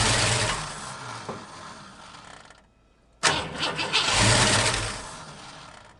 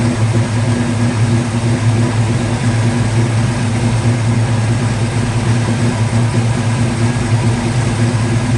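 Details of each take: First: 1950 Ford F1 that sat years in a barn, carb cleaner sprayed down carburetor throat: catches with rough burst, revs unevenly, fades, fires briefly again; not staying fuelled, carburetor to be cleaned; runs only briefly then dies. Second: 1950 Ford F1 truck engine after many years sitting in a barn, started with an MSD ignition box, hardwired fuel pump and a power probe: low, steady rumble at an even pace with no misses, knocks or ticks; idling smoothly.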